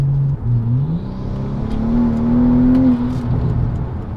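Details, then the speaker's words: Warmed-up car on its old street tires, before fitting Mickey Thompson drag radials, during a mini pull: revs climb fast and keep flaring as if unloaded while the traction light flashes. The tires keep spinning with no grip. "You guys probably didn't see the light flashing, but you can definitely hear it, that the car is not making contact and it's just continuously spinning."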